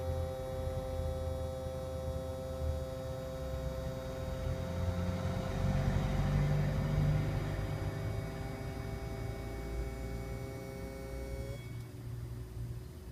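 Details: 2010 Iveco Daily IV 45C18, engine bay after ignition off, camera near the source: steady electrical hum with pitched tones starting after a click (owner suspects a relay), then cutting off; new behaviour, workshop says normal.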